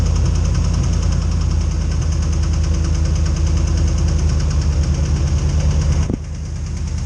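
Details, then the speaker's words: Truck not started for about a year, at startup: deep, uneven knocking over a rough low idle that then dies away; cold-start knock, cause not pinned down. "Hear that knocking? Well, now it's gone, but it's there, trust me."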